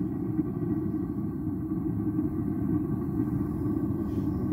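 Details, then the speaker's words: Dometic RV propane water heater, whole assembly already cleaned: ragged, fluttering, sputtering low roar from too much primary air at a misadjusted air mixer; covering the inlet with a finger stops it, fixed by sliding the shutter toward less air. "I found the problem the air mixer is just wrong so right now it's sputtering like crazy but watch what happens when I put my finger on here"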